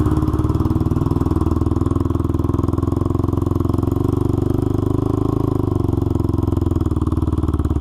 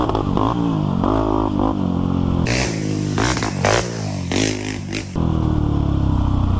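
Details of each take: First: Honda 400EX single-cylinder ATV after crankshaft replacement for a locked-up engine, on a test ride; even thump with a sharp, raspy puff each firing pulse from a broken exhaust header leaking pretty badly; new header needed. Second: Honda 400EX quad, revived after lock-up with jetting sorted, ridden on a track: single-cylinder revs up and down cleanly through throttle blips with no knocks or misses, pulling strong and smooth, healthy under load.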